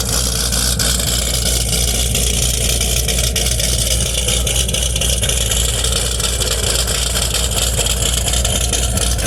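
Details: Chevrolet Camaro ZL1 V8 after engine rebuild and final dyno pull: deep, steady rumble holding an even beat with no ticking, knocking or misses; idling healthily.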